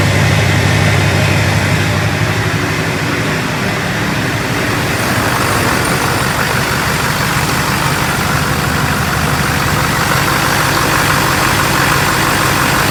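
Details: LLY Duramax diesel truck, first start after replacing thermostats and PCV reroute: steady, even diesel clatter at idle with no misses, surges or knocks; idling healthily.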